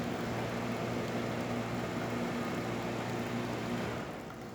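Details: DeLonghi Magnifica S after a full service with a new hose and gaskets, on a test shot at grind setting three: a steady low, uninterrupted pump hum as water is pushed through the brew unit. Normal pump operation.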